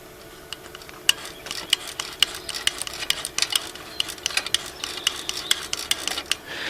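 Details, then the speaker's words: Honda ATC185 engine being pull-started: sharp dry clicks about twice a second with no valve rhythm, camshaft not turning with crankshaft and valves not moving; thrown or broken timing chain, at least one valve likely hit. "When you pull the string, this thing here should go round and round, and it doesn't. Those valves should go up and down, and they don't. And they shouldn't make this sound."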